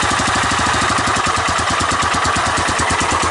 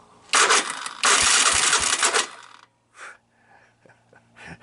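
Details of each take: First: 1985 Honda ATC 250SX Astro with replacement carburetor after wiring repair: quick steady single-cylinder popping beat at even pace with no stumbles; running cleanly, no smoke. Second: 1985 Honda ATC 250SX Astro, starter button pressed after partly restoring the wiring harness: two harsh, raspy grinding bursts, then faint clicks; the starter is not meshing cleanly, with a risk of stripping gear teeth.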